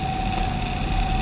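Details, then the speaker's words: Twin Head Slim Note-486E laptop on exiting Windows: steady clean whine at one pitch, no clicks or scraping; hard drive spinning up again normally. "and like i said i'm getting used to this uh trackball here and then of course the heart just spins up again"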